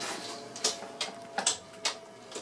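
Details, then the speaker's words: Antique Diehl ceiling fan, 1920s, 40-cycle motor on 60-cycle power, underpowered on high: fast fan hum with a steady tone and sharp irregular ticks about twice a second; rattling at high speed, cause unknown, possibly arcing. "running this without blades it sounded even worse by the way just putting that out there I don't know what that rattling noise is if it's arcing or"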